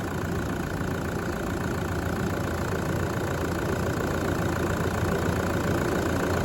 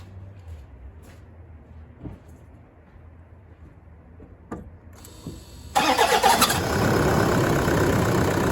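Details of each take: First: Brand-new engine just installed, heard right after its first start (the starter motor squeaked slightly). Steady, even hum at idle with no knocks, ticks or misses, like a new engine. Normal idle. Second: Freshly installed new engine, first start at final inspection: quiet clicks, then a brief high squeal while cranking before it catches into a steady idle; suspected squeaky starter motor.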